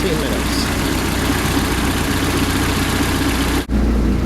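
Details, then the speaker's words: Bayliner 175 boat, Mercruiser 3.0, warmed up, run 10–15 minutes while checking for water and oil leaks: low steady idle rumble, even rhythm, no stumbling or rattles; normal idle. "and just letting the engine run for about a good 10 minutes 10 to 15"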